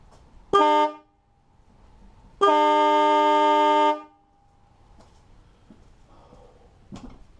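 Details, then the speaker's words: 2013 Jeep Wrangler JKU, newly installed Stebel Nautilus Compact air horn replacing failed one, mic on hood underside: two loud clean blasts, short then ~1.5 s, steady strong tone; horn works properly. "Wow. Alright, sounds great."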